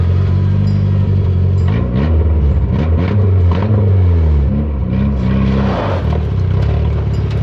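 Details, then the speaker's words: 1985 Toyota pickup, carbureted, revived after 20+ years in a junkyard: idle sags and surges about every second and it stalls; owner suspects needed carburetor adjustment, timing and vacuum leaks. "Oh, it died again. I gotta adjust the carburetor. I gotta do the timing on it, look for more vacuum leaks."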